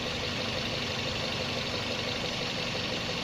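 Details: Toyota Vios Gen 1 (2003–06) rough idle: uneven, slightly irregular pulse under a hissy background. Vacuum problem suspected, sensors being checked; not yet pinned down.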